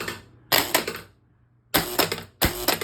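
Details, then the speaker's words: Gusher electromechanical pinball after cleaning and adjusting switches, slingshots and flippers: three sharp hard clacking solenoid strikes about a second apart with rattle; kickers and slingshots firing strong and clean. "hear how violent all of my kickers are."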